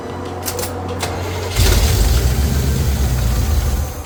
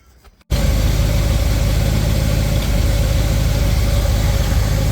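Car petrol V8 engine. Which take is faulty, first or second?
first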